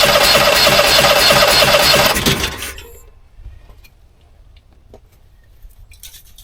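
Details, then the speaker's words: Onan 5500 generator, about 15 years old and unused 6+ years with bad gas, primed after air in the fuel line, fault code 36: about 2.5 s of even cranking at roughly three strokes a second without catching; owner suspects a fuel problem, possibly a stuck carburetor float. "this sounds like a fuel problem to me"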